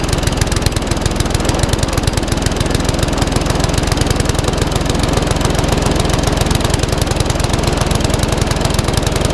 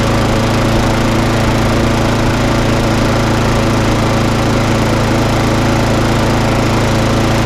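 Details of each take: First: Classic Briggs & Stratton 3.5 hp mower (red one) just started after servicing, previously tipped on its side with fuel over the carburetor: steady even firing but below desired speed; owner may change top governor spring. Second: Briggs and Stratton lawn mower, previously failing to start and running very rough, run up after a quick repair; steady even drone at constant speed, no surging or popping; normal running.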